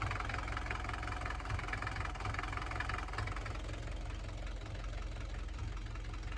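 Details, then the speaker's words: Mercedes 240D diesel after valve adjustment and injector pop-testing/rebuild, first start: deep low clatter at idle, slightly lumpy, still smoking; owner suspects not all cylinders firing, cause not pinned down. "one or two fire in here I don't think it's running all cylinders yet oh we're still smoky smokey"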